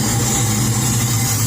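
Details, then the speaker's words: Chevy S10 with rebuilt LS 383 stroker V8 and cam (620 intake/598 exhaust lift), still learning, warming up toward its 750 rpm idle: uneven loping idle with low rhythmic chop, otherwise steady; healthy. "ke it it sounds killer once it warms up and it gets down to warm idle about i put it about 750."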